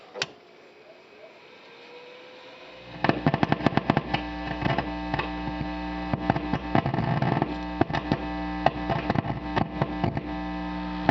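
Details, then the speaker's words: Vox AD50VT guitar amp: loud deep pulsing thump around 100 Hz over hum, unaffected by gain, volume or tube removal; tapping rear power control changes pulse speed, pointing to a faulty power control pot or bad solder joint. "this leads me to believe that the problem is something mechanical in the power control circuit possibly the control itself or a bad solder connection on the circuit board"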